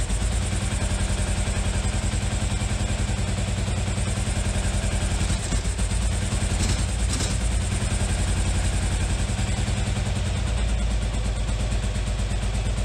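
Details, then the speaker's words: 1981 Yamaha XV920 motorcycle first start after pouring fuel into carburetors: uneven, lumpy V-twin idle with loose chuffing clatter, dislikes throttle, lots of tailpipe smoke; possible exhaust leak suspected, cause unconfirmed. "look at that magic but it runs I'm very happy I'm very happy the bike runs which is great for a second there I thought I had a blown motor or something blows a lot of smoke up the tailpipe"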